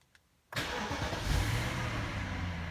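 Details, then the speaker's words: 2005 BMW E60 545i, about 60,000 miles, start in garage, owner reports misfire, rough idle and odd revving with increased-emissions warning: engine catches instantly, brief rev, then even, steady idle; this start normal. "okay nothing happened see it says increased emissions engine symbol but it turned on pretty fine right now"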